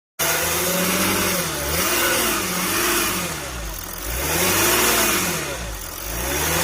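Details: Mercedes 350 CDI OM642 diesel revving up and down with a dry, fast metallic rattle; suspected high pressure fuel pump rattle, not confirmed.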